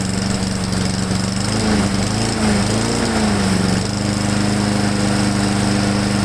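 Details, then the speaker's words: Husqvarna mower engine just after installing a modified replacement carburetor, first start: brief wavering, uneven sputter mid-clip, then steady hum; owner suspects the choke was slow to come off, then ran smooth. "Okay, so the truth is, when I first started it up, you may have been able to hear it on camera. I had a little sputter in it."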